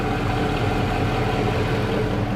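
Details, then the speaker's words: 2003 Dodge Ram 1500 Hemi, original engine with 390,227 miles, cold start after sitting four days at about 55°F: a steady V8 idle with a low, repeating deep knock that is getting louder, a rod knock. "let's see if we can get it here at the top you hear that low knock knock knock knock knock knock knock knock"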